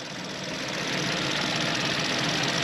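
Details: VW engine after water pump replacement, coolant refilled and bleeding, heater on hot, warming up: idles smoothly and evenly with a steady hum, no knocks, squeals or rattles, no leaks, pipes getting hot; normal idle.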